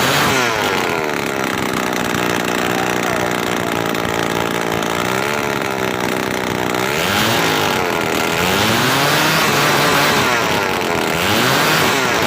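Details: Two-stroke grass cutter that wouldn't stay running, after cleaning a long-clogged muffler/exhaust; high buzzing note holding steady with small rises in speed, clean and continuous without stumbling.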